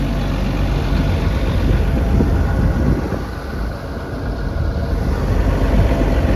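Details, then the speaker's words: 2017 XCMG XE210CU excavator with Cummins diesel and Kawasaki pump, checked for blow-by: steady, even diesel rumble, no knocks or misses, slight dip and recovery in level; sounds good, running great. "Sounds good, running great."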